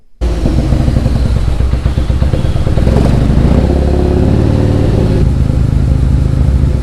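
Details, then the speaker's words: Mitsubishi 3000GT VR4 / Dodge Stealth with two-step launch control being set up: loud coarse uneven rattle under a lumpy low engine note, not noticed from inside the car; owner likens it to a bad timing chain, cause unknown. "I did not hear that in the car or I would have stopped. I'll play that noise back for you guys. I'm pretty worried about that one. Leave down in the comments what you guys think it is. I've never heard a car sound like that. It sounds like a three-wheeler with a bad timing chain."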